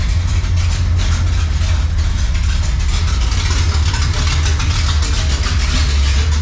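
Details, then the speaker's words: 1955 Chevy drag car on its first start, in neutral: a deep, loud open-header rumble with an uneven, choppy big-cam lope at idle. It runs healthy and steady. "she's got the choppy chop cam I like it"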